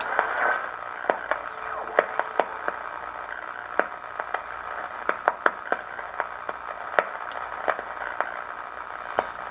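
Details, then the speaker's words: 1937 Grunow tube radio after repair of low 6A7 converter and IF amplifier screen-grid voltage (5 V, needed about 50 V): night shortwave sweep, steady static hiss with scattered sharp crackles; normal shortwave reception. "sometimes you can hear wwv at five megahertz"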